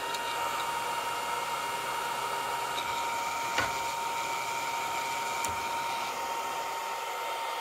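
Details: Longer Ray5 20 W laser engraver module fan with the original stock grill at constant speed: steady thin high whine over loud rushing air; cooling fan whine from stock grill.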